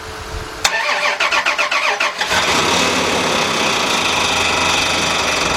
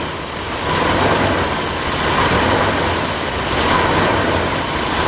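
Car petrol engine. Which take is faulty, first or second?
first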